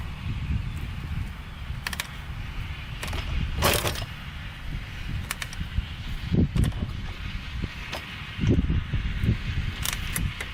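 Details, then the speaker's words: 1987 Kawasaki Tecate 4 250cc two-stroke quad: repeated kick-start strokes thump and clatter but engine never fires, because the kill switch was off (middle position is on); no-start. "Alright, I gotta figure out the trick to starting this thing. Alright guys, so I finally figured out what I was doing wrong. I knew something was up. This thing was over here like that. That's the kill switch."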